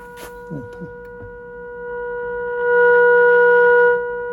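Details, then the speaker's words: Arvin 257T tube radio, IF alignment for maximum output: steady pure test tone swelling louder, clean with no buzz or warble; first stage already pretty much peaked. "I don't see much of a difference on the first one. It was pretty much peaked already."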